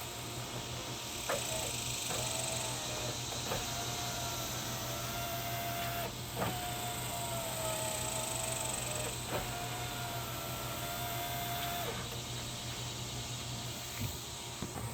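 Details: 2000 Saturn SL2 driver's-side window motor and regulator tested with the switch handle temporarily reconnected before reassembly, door panel off: repeated smooth steady whine a few seconds each, clean starts and stops; normal power window operation.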